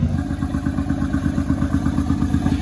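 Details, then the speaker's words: 2006 first-gen Honda Pilot with misfire and stalling, jump-started after carbon-cleaner spray and intake boot refit: steady idle with an even, rapid puffing chuff from an exhaust leak, running slightly shaky. "this other than the exhaust it's really not running that bad and it's a little shaky"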